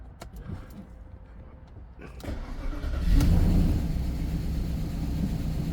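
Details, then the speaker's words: 2001 Audi A8 Quattro 3.7 L, first start after 11 years sitting, new battery, alternator disconnected: a few clicks and brief crank, catches near two seconds and settles into steady low idle; ABS light on, little smoke. "It's a runner. Yeah, obviously there's quite a lot of work. I've got the ABS light on. Not too much bad smoke coming out the rear."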